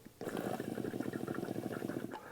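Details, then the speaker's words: ECM Synchronika dual boiler espresso machine, cold, copper tube removed with 17 mm wrench; blowing air through the tube down into the steam boiler gives rapid, even gurgling pops for about two seconds, showing the steam line is unobstructed and wide open. "Which I don't know if you can hear it, but I can tell that whole thing is wide open. So you will definitely should be getting steam coming through this."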